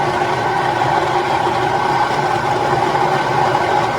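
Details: Stone mill grinding home-grown dried dent corn into grits after the stones were tightened: steady, even grinding drone with constant mid-pitched tone and no surging or knocking; working normally under load.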